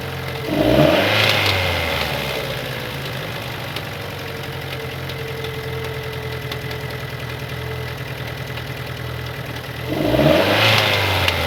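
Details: 2015 Opel Astra J, 1.4 turbo petrol B14NET, 88 kW/120 PS, 89,000 km: rhythmic knock through idle that quickens with each throttle blip; possible bearing damage, unconfirmed.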